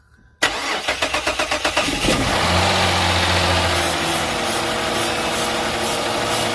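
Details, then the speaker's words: Silver Dodge Charger that quit cranks, then catches and idles only on flammable spray in the intake, despite a full tank. This shows no fuel presence: the fuel pump is not sending pressure. "okay so obviously it's the fuel pump yeah your fuel pump not sending pressure"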